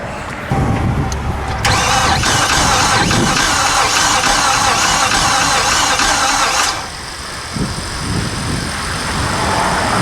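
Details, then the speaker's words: 2015 Infiniti QX80 from a Copart auction, suspected weak battery, cranking: slow starter drag with an uneven skip, meaning one cylinder isn't compressing (low compression). "doesn't sound particularly heavy and it's got two problems it's cranking slow and it's and it's got a skip which means it's got a a hole that's not compressing"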